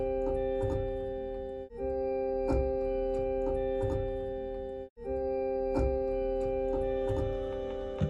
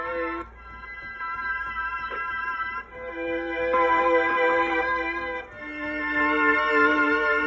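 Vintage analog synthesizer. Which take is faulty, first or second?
first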